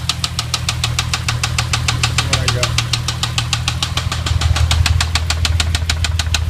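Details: VW VR6 on third start after timing chain replacement, new clutch and transmission refit: sharp, loud regular metallic knocking about three per second at idle, sometimes goes away; jumped timing suspected, not confirmed.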